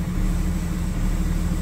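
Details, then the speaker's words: 2004.5 Ram 3500 diesel, just started after the heating cycle, heard with the windows down: a low, heavy idle with an uneven lumpy beat. It is slow to start and shows blue smoke at cranking; the cause is only suspected. "been having a little bit of problems out of the o4 ram 3500 it's got a really weird rough idle when i crank it and it's slow to start"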